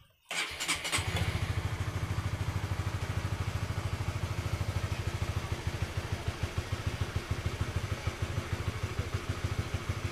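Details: Honda CB150R fires up at once after the touch-sensor anti-theft module on the clutch switch is touched, settling into a steady, even idle thump: a healthy start and idle.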